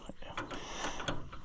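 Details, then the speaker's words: Cheap, complete, original-patina Allis-Chalmers tractor on a cold day, engine turned over by hand. Uneven clanks and ratchety knocks are heard; something isn't right. Owner suspects it may be stuck in gear and may remove the side cover. "something ain't right there so that's going to be another thing we got to sort ourselves out and it might be I don't know we're going to take the to cover off the side if we have to maybe it's stuck in gear"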